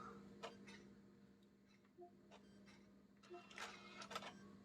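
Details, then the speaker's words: PS5 disc drive with disc inserted during repair: only soft irregular clicks and ticks of the laser over a faint hum, no spin-up whir; disc not spinning. "one thing after another with this drive yeah the disc isn't spinning"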